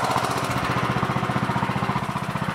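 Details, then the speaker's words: Briggs Intek 20 hp single-cylinder on an MTD Yard Machines CVT lawn tractor, running after fitting a third replacement carburetor (earlier ones surged): steady, even beat at constant speed with no surging or hunting; it runs normally with no adjustment needed. "Man, does that sound great or what? That sounds like awesome, you know? That sounds great."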